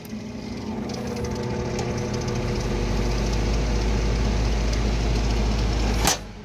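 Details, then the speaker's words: Old Comfort Star R22 split system, breaker tripped, condenser fan disconnected, 212 V supply: deep labored uneven hum for about six seconds then cutoff; compressor rotating but not pumping, suspected internal damage, possibly oil return issues. "You can hear it. It sounds like it wants to run. It sounds like there's damage inside of it."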